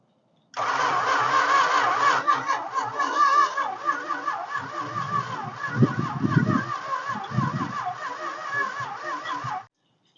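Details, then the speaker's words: 1969 Chrysler Newport 383, sat about 40 years, first start attempt: steady starter whirring with a few ragged puffs that never catch; spark present, but plug wires 180 degrees out on the distributor, so no start. "yeah it's a whole 180 out all right that's our problem that's why it's not firing up"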